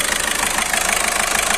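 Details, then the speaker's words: Skoda Rapid petrol engine after repair of a cylinder 2 injector misfire that caused shaking and a malfunction light: injector serviced and a sensor replaced, now idling with a steady, even pulse and no misses. "Replace कर दिया और इसका problem solve हो गया"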